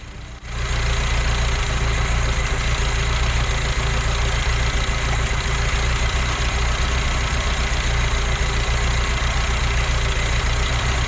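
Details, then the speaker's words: BMW 2002 sitting about 13+ years, running on very old tank fuel through working fuel pump after poured-in starting gas used up: steady low, even idle with slight chug, no knocks or misses; engine sounds healthy. "it seems to be running because a little bit of gas i poured in there should just about be gone by now but it keeps on keeping on"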